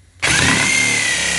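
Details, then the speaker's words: Jigsaw free-hand ripping a board, possibly damp wood: a high whine that sags noticeably as the blade loads up because too much feed pressure is applied; the jigsaw is bogging under load. "it's okay it's all bogging down okay that's me pressing a little too hard"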